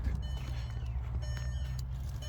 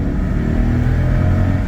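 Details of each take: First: Mercedes R500 V8 bought cheap at auction, battery at 3 volts and jump-started: lumpy, uneven idle with stumbling misfire-like beat under a chiming warning tone, lights dimming. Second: Mercedes R500 V8 that shakes badly at idle: under full throttle it pulls with a smooth, unbroken roar, no bucking or misfire, possibly slightly down on power; normal full-throttle acceleration.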